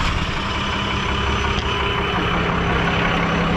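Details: Diesel truck idling loud and steady with a faint high hiss on top, wastegate solenoids awaiting replacement (no exhaust brake); suspected turbo noise, possibly the wheel rubbing, with a suspected oil leak rather than coolant loss.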